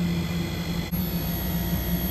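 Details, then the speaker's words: Daikin VRV III after inverter compressor and PCB replacement, running in test mode: steady low hum with a clean high whine ramping up smoothly, no knocks or rattles; normal inverter compressor run-up. "near the inverter ramping up now it's always a good sign so these things are still running through their test mode"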